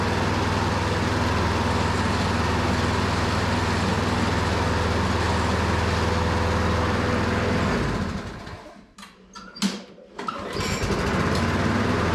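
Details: Lawn mower (Powersmart 161cc or Craftsman 190cc self-propelled) after new carburetor, new spark plug gapped to 0.030 in, old go-kart fuel: slow lazy chug about 3.5 beats a second, then stumbles and dies; idle far too low from unhooked governor spring.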